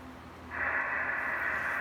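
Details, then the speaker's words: Late Drake TR4 transceiver, serial 81037, with built-in noise blanker, on 80 meters before alignment: loud steady hiss with no signal; peaking IF cans and trimmers afterward perked it up. "Yeah, it's got some hiss to it. Whoa, it's got some hiss, all right."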